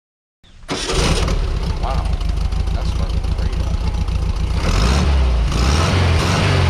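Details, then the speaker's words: 1992 Mexican VW Beetle, air-cooled, points ignition, single-outlet exhaust: starts immediately without hesitation and settles into a steady, even chugging idle with a quick rev; normal running of a well-tuned engine. "now that's what you call a well-tuned car"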